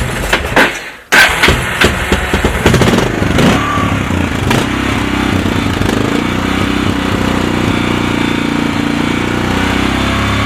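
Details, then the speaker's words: 2001 Kawasaki Lakota, cold start on a jump pack after long garage storage, Sea Foam through the carburetor: cranking bursts catch, then a slightly uneven, lumpy cold idle; running but not perfectly clean. "so I put the jump pack on it and I did fire it up so this is in a cold start"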